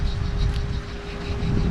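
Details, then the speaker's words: Nissan Altima front hub assembly, removed and spun by hand: a low, rough grinding rumble with felt restriction from worn wheel bearings; it is being replaced with a good used hub. "you'll hear the bearings that it's not good"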